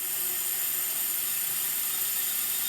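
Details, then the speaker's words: SR20DET from an S13 240SX, leak-down test on cylinder 2 at 100 psi: a steady, high hiss of air escaping into the crankcase. Owner suspects the rings or ring land, to be confirmed on teardown. "Oh yeah. Definitely hear it. Oh yeah, look at that. The air pressure is going into the base."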